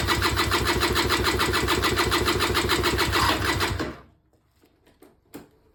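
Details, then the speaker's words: Auction-bought Peugeot Speedfight 2 100cc two-stroke scooter with Leo Vinci exhaust, first start attempt after long disuse, fuel just reaching carb: steady rapid starter chug about 3.5 beats a second, never fires, then stops; cranks, no start, cause unknown. "So yeah, I'm gonna give it another go, see what happens. I haven't heard anything fire yet."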